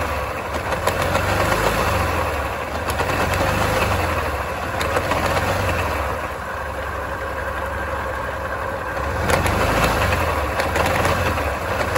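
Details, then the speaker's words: Yamaha Grand Filano scooter jerking on pull-away with loud tapping near belt cover: idling with uneven knock, likely from a failed final drive gear shaft bearing, probably dried out after a leaking seal lost final drive oil. "คาดว่าลูกปืนด้านในนี้น่าจะชำรุดแล้วล่ะลูกปืนด้านในแกนเฟืองขับของเฟืองท้ายเนี่ย"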